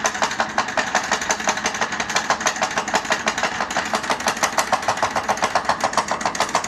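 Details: Powered chair that sounds like a tractor: fast, even clatter of about seven knocks a second over a motor drone from the chair's drive; cause unknown.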